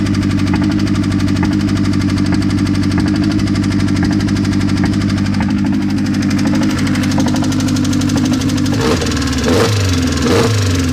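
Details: Mazda engine at idle after sitting for a long time: a rough, uneven tapping knock of about one beat per second rides over the idle; cause not pinned down.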